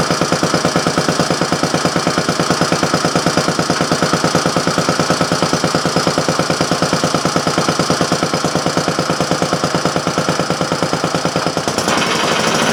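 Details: Briggs & Stratton Model A single-cylinder engine, one of three of four revived, run on a temporary gas tank after broken intake manifold work; an even chuff at about two beats a second with no misses or knocks, then shuts off. Normal running.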